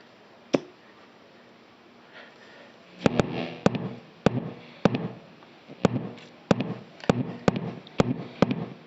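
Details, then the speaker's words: Vox AD50VT guitar amp, used and stored a year in a cold basement: irregular loud thumps once or twice a second over a low hum at power-up, unaffected by gain, volume, master or power level controls; faulty power-level potentiometer. "after sitting for a year or so he attempted to use it and found that it had developed an unusual problem a very loud pulsating noise that you'll hear when I power up the amp"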